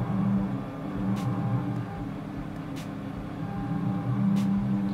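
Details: Gatton CNC router with DDCSV offline controller, 110V 1.5kW water-cooled spindle, motors recently tuned to run quieter: low steady hum with soft ticks as axes move, unstrained; smooth quiet stepper motion.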